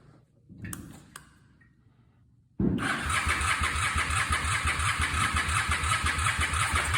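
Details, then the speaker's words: 2004 Honda Shadow VLX 650, battery likely low: clicks, then starter churns with even compression pulses about three per second, never catches; cranks, no start; bad starter solenoid cited. "Come on, baby. You gotta go get some gas. Come on, baby. Doesn't look like we're going anywhere tonight."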